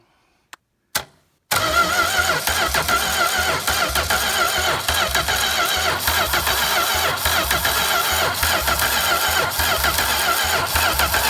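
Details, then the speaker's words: Home-built V8 trike, old cold start after water got into the oil (drained): a couple of clicks, then it idles with a fast rough ticking knock. Cause unclear; the owner suspects the head gasket. "that sounds like bad huh knock or something oh I don't know looks like it's something off the head gasket"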